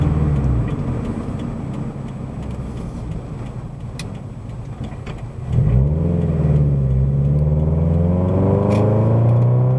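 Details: Subaru BRZ/FT-86 with SpeedFactory header and exhaust, warmed up, in-cabin while cruising after fixing header rubbing the debris shield: deep low drone swelling smoothly as revs climb, no rattle or buzzing; exhaust healthy.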